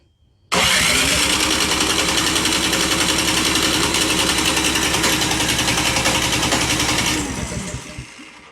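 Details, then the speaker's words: Canadiana snowblower with Briggs & Stratton 800 series engine, no start after one season, last year's fuel left in it, choke on, electric start: engine cranks steadily with even chug about six seconds but never catches; suspected stale fuel in carburetor. "So this snowblower apparently won't start after using it for one season last year."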